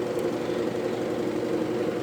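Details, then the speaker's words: Consul CWL16 16 kg washing machine agitating with a loud, rough engine-like drone and dense knocking texture; cause is the worn hub under the agitator, which makes a very strong noise when agitation starts. "essa peça chama é o cubo que fica debaixo aqui do agitador e colocar um barulho muito forte quando ela começa agitar"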